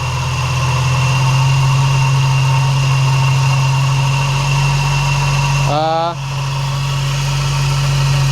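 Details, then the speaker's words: Skoda Octavia vRS with a fitted, previously water-submerged Audi RS3 2.5L five-cylinder engine at idle, just after a replacement alternator and belt were fitted: a constant whirring whine persists but is less bad; owner suspects the A/C compressor is also failing. "So I'm just going to connect up the battery. It still sounds whirry."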